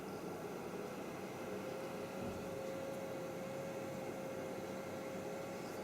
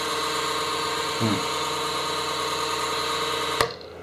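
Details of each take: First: Creality CR-10S 3D printer 12 V fan, bench-powered after greasing: quiet, even whir at one steady mid pitch with no ticking or scraping, even when wiggled; runs smoothly and is healthy. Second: Creality CR-10S 3D printer: steady whirring fan with a brief rattle, then quiet after a click; the cheap power supply fan makes random noises when the control unit is turned or flipped.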